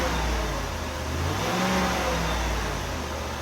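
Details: 1995 Oldsmobile Aurora after replacing a bad coil pack that caused a severe misfire and vibration; engine revs up smoothly and settles with an even, steady note, no stumbling or vibration; misfire fixed.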